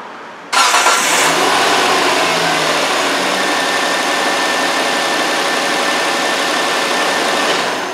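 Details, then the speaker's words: 2008 Hyundai Santa Fe after a timing belt replacement, engine catches quickly after a brief crank and settles into a smooth, steady idle with no knocks or ticks; runs normally. "Okay, as you can hear, it does run and it runs good."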